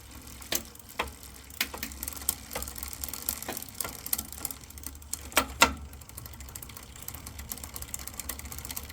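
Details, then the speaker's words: Lectric XP e-bike rear derailleur clicking against the gear as cranks turn by hand, light uneven ticks amid motor noise; backed off a quarter turn, owner suspects bent or twisted derailleur, cable not straight. "You can hear it clicking up against the gear. So we want to loosen it back a quarter of a turn."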